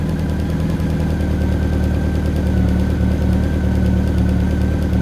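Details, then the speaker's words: Motorcycle idling after carburetor synchronization, adjusting the off carb clockwise to bring it in line on vacuum and mercury gauges; deep, steady, even low thrum with no stumbles or hunting, now running noticeably smoother and balanced. "see how that brings it in line I can hear the bike almost running to sound a lot better A lot smoother"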